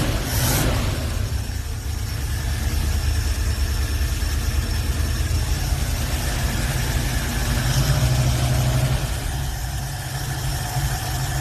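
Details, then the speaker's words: V8 in a hot rod being set up, with headers and a worn accelerator cable needing replacement, choke being adjusted: even, steady low burble with no misses; normal idle. "This thing's purring. Let's just with the fucking choke right now, adjust it a little bit."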